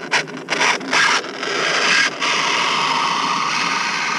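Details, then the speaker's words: Redcat Kaiju RC truck during a 12T speed run after several flips. A harsh, dry scraping rasp, choppy then continuous, comes from the drivetrain; a pinion or plastic spur gear issue is suspected. "oh I think it was a pinion issue as you can hear my lovely friend right now"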